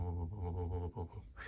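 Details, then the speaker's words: Klipsch Reference Theater Pack 5.1 wireless subwoofer with nothing playing: very low, steady low-frequency humming that briefly drops out and fades after a few minutes; unplugging the wireless transmitter stopped it, so owner suspects wireless interference. "when nothing is playing there is a very low volume but very distinguishable low humming voice a humming sound it's like very low frequency low volume humming sound"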